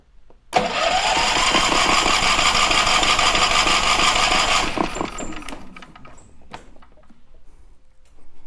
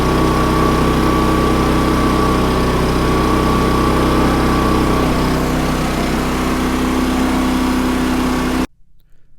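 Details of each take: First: Champion 3400 dual-fuel portable generator, about two years old, sat nearly a year; after stale gas was drained from the tank and carburetor, the starter whirs steadily for about four seconds but the engine never catches. Cranks, no start on gas. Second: Champion 3400 dual fuel generator, about two years old, that would not start on gasoline after sitting almost a year; after cleaning the carburetor bowl, a steady, even drone at constant pitch for about eight seconds before shutdown; normal running.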